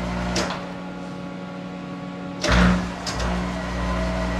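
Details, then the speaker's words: Monarch 10ee lathe, electronic variable speed drive warmed up, lever thrown from forward straight to reverse at about 800 rpm: spindle hum dies away, anti-plug relay brings spindle to full stop, brief lever clunk, then drive picks up without gear slam; normal reversal. "you see it's got an anti plug-in relay that brings the spindle to a complete stop before it'll reverse so your machine should do this"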